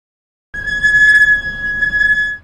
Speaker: সপ্তম আমি ব্রেকে পা রাখার সাথে সাথেই এটি চিৎকার করে ওঠে।